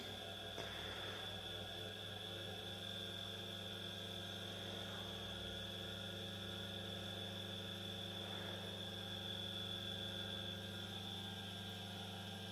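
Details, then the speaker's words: Small 230 V single-phase induction motor, unloaded, on a homemade variac: quiet steady hum with faint whine, sounds slightly different, perhaps from the uneven surface underneath, but works fine. "at least to me it sounds a little bit different but still you know it works"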